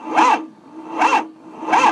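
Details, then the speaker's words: Ford 6.0 Powerstroke diesel crank no start with IPR stuck: slow heavy rasping cranks about every three-quarters second, dragging hard, belt jumping. The AC compressor pulley isn't turning; seized AC compressor loading the belt and binding the engine. "it's not cranking right there something there's something seizing this motor up it just the sound doesn't seem right"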